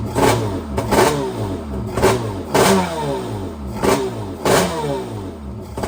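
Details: Krash jet ski swapped to a 701 two-stroke engine, start on land with a little gas and a temporary throttle cable: fires and revs in repeated bursts roughly every second, crisp and even on each blip; running healthy.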